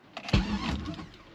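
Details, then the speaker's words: Manual Pontiac GTO with open headers, troubleshooting a no-start with a suspected bad starter relay: brief quick crank, catching right away on the key. Normal starter cranking; the fault cleared on its own. "I don't know what happened but something happened and it just worked"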